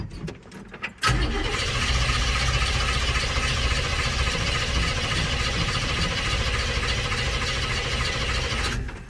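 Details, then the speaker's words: 1965 El Camino sitting for years, won't run without starting fluid: long steady cranking that never catches, even churn throughout; fuel delivery suspected, leading to a fuel pump replacement. "No, not without starting fluid. So the starter fluid definitely helped, but it didn't fix the problem. So we decided to take a look at the fuel pump."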